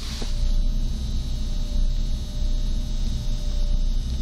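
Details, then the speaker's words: Honda Accord 7 with about 300,000 km, engine running and lights switched on: thin steady buzzing whine and crackle from the speakers, interference from the vehicle electrical system because the aftermarket screen was installed without galvanic isolation. "Слышите такой зумер, треск такой? То есть идёт какая-то наводка по сети."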